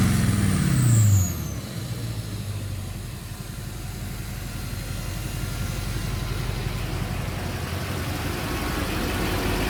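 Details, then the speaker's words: Friend's turbo diesel with opened-up 4-inch exhaust and turbo wrap: brief rev settling into a steady even idle with faint turbo whistle audible; sounds healthy. "Yeah, it sounds really good. I really like how that turbo spool."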